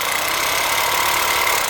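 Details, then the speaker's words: Makita HR2450 SDS drill after repairing a burnt-out motor with a new armature (517375-5) and brushes, run in reverse, where the switch only goes halfway in: steady, even motor whir with light brush hiss, no rattle or grinding; sounds exactly right. "I see what it sounds like now. Exactly how you like it to sound."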